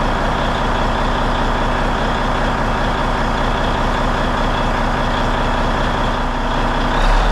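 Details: Peterbilt truck diesel, first start after cab refit with fresh fuel in the rebuilt tanks, warming up; loud, steady idle with an even low rumble and no knocks or misses; running clean.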